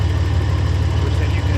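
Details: Ford Ranger engine after rebuild with new lifters and head, valve cover and exhaust gaskets, idling during timing check with a timing light, timing about three degrees off and set to about 12 degrees: steady, even low idle, no knocks or misses; normal idle.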